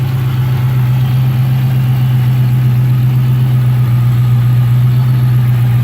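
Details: 2006 Dodge Magnum SRT8 after a cold start: a deep, heavy V8 idle with an uneven lope, about four stumbles a second breaking the rhythm. A misfire at idle.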